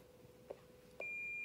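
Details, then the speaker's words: President McKinley CB radio built-in SWR meter reading 1.0: steady high beep tone runs constant with no pauses or breaks, indicating a good antenna match; pauses between beeps would indicate poor SWR. "it is I know it says attend it's a 1.0 and you hear that beeping how it's constant okay when it's not constant it will there will be pauses and breaks in between the beeps"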